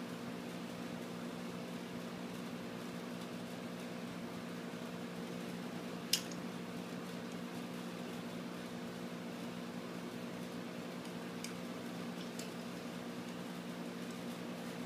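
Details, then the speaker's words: Used refrigerator compressor converted into a vacuum pump, plugged in and pulling vacuum on a cylinder for a few minutes: steady low even hum, no knocking or rattling, pulls a good vacuum; normal compressor running. "so now we're going to plug the compressor in and it should pull a vacuum on our cylinder here it running you'll start seeing the pressure drop in the cylinder so we're going to let that run for a few minutes"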